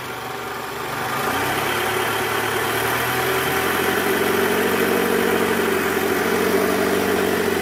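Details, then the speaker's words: 2008 Toyota Camry 2.4 V, 2AZ-FE engine, in R held around 1200 rpm under load: rough pulsing growl ("ngorok") from accessory belt tensioner with weak spring; replacing the tensioner cured it. "jadi bunyinya itu bunyi ngorok kalau ditahan gas kisaran RPM 1200 ya posisi R bunyinya krok itu dari Tensioner"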